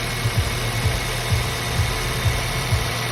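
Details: Ford Fiesta just after serpentine belt replacement: steady idle with an even low pulse about two beats a second and no belt squeal; new belt runs quietly.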